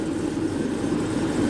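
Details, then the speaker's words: Jaguar with intermittent no-start, owner suspects fuel pressure regulator stuck open or closed; early morning cold start succeeded, steady even idle hum with no misses, knocks or stumbles; normal idle. "But as it turns out, I don't need it. The devil's gone and started. Let's try again."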